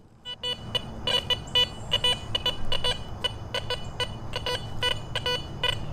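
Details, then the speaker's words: Garrett Vortex VX9 metal detector, multi-frequency, bottle cap reject set to 2, same bottle cap; choppy stuttering high beeps, readings jumping 2–12, not a coin: bottle cap target signal, broken choppy tone. "You can probably hear that. It's gotten extremely broken and choppy, which tells me it's not a coin."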